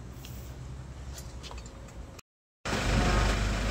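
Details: Hyundai Porter 2 D4CB diesel, after repairs for low power and blow-by (injector washers, intake manifold gasket, fuel and air filters, water separator): steady low clatter at even idle, brief cut, then louder smooth run, no knocks. Normal idle.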